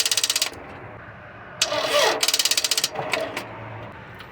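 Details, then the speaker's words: Toyota RAV4 2.4L after alternator replacement, original battery completely dead, jump attempted: rapid sharp clicking about three per second, no cranking; battery too weak to crank. "right couldn't uh be able to do it uh it's getting late here the battery is too weak because the original battery of the car is completely dead"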